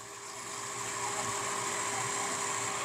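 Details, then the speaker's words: Centrifugal water pump with valve fully open, drawing about 8.07 A against an 8 A nameplate rating: steady motor hum under a rough, gravelly hiss and crackle. Cavitation from maximum flow at below-recommended pressure; hydraulic overload overheats the motor. "this noise is due to cavitation because cavitation occurs when we have maximum flow and pressure Below what is recommended"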